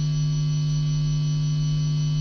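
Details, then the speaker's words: Stratocaster single-coil pickups through a high-gain pedal, before copper shielding: loud, steady low mains hum at constant pitch; owner suspects the building's shared ground wiring across rooms. "ew that is really bad i think what's going on here is that my ground wire in my room it's connected to the ground wire in the next room and in the next room and the next room"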